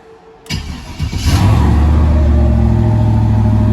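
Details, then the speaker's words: Turbo LS V8 with Holley EFI in a BMW M3, cold day, after idle AFR tuning; cranks, catches and settles to steady even idle near 14.5 AFR target, IAC in good shape, healthy. "So we're reading at like 14.5 is where it's trying to target, and we're bouncing around right about there on the motor. IAC's in good shape."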